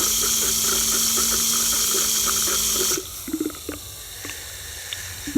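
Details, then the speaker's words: Bench test of a Bosch 0 392 023 004 centrifugal electric water pump for an MBK 51 moped, run from a battery: it first spun dry, then was tilted to fill. Steady whirring hum with water rushing for about three seconds, then cut off; pump primed and moving water. "Je recommence. Alors, on dirait qu'elle est bien amorcée"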